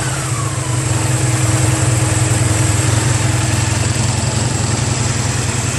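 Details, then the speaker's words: 1985 Honda Sabre VF1100 (V65) V4 at idle after a full carburetor cleaning of clogged jets and stuck slides: lumpy idle with a light, quick ticking over the exhaust beat and a lot of smoke. Valve tick. "a lot of smoke you hear the ticking"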